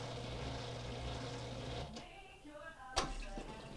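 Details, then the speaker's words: Frigidaire FBD2400KW2A dishwasher (lower spray arm repair; soap not dissolving, loud noise): cycle started, low steady hum then soft hiss and trickle as water enters; normal fill, though water level later found lower than it should be. "so now we hear the water coming in okay so obviously the dishwasher is in a running uh phase now"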